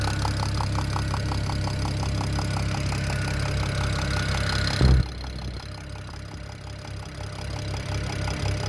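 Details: BMW E92 335i (N54 engine) at steady idle with a light, even tick about three times a second; the owner suspects a top-end knock, and the cause is not yet pinned down.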